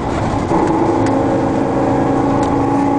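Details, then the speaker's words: 2001 Chevy 3500 box truck, Vortec 5.7 V8, 290,000 mostly highway miles: steady mid-pitched driveline whine at cruise over road and engine noise that disappears in neutral; seller suspects the rear axle and says a used rear may be needed. "the other thing is when I put it in neutral that wine goes away so that's definitely what it is"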